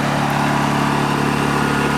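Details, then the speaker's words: Honda EU2000i generator, started cold on first pull: steady low hum at even, unchanging speed, no pinging or misses; normal idle, quieter low-pitched sound in person than on camera. "When you're standing right next to this generator, you don't hear a high-pitched pinging. It's more of a low-pitched kind of a sound that kind of blends into the background pretty well."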